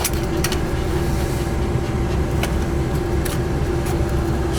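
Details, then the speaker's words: Gas boiler at a rental property, no-heat call, after a repair for a Molex plug that had no power output: a steady, even low roar with no surging or popping. The burner fires and the boiler heats normally on the main operating control. "the main op right control that's it it's running she's heating up"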